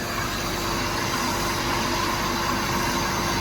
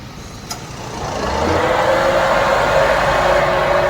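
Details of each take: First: Maruti Suzuki WagonR after fix, engine idling with radiator fan running: steady whoosh of air with no wobble, rubbing or flapping; noise and vibration had been caused by a plastic sheet being sucked toward the fan, now removed. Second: Maruti Suzuki WagonR, engine running with AC switched on: noise swells as the radiator fan kicks in, then steady droning whir with vibration felt inside the car; car also sometimes overheats. Noisy, vibrating radiator fan.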